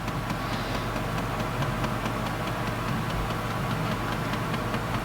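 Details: 2012 Jeep Compass after replacing crankshaft position sensor and oil pressure sensor (codes P0335, P0522) for crank-no-start: starts on first key turn, steady even idle with faint light tick, no stumble or misfire; normal idle.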